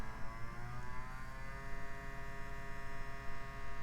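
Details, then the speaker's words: Gateway tower PC optical drive reading a disc: steady whirring spin with a heavy low throb pulsing underneath; a balance problem with the disc or spindle is suspected, and the drive still reads the disc. "but it is reading it however that is quite annoying guess we have some kind of balance problem"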